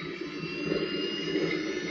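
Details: Micro turbine start after about 8 seconds of warm-up, fuel pumping then main injector opened: smooth turbine rush with high whistle, no surging or pops; clean spool-up, sounds different once on main fuel.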